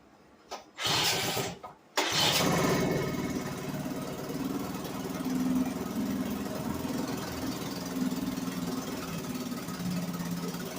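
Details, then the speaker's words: 1963 Gale-made Sea King 3hp single-cylinder outboard after installing a new water pump rotor; a few pull-start bursts, then a steady, even run with no knocks or misses, pumping water well, running normally. "I say we got success puming like like fire truck"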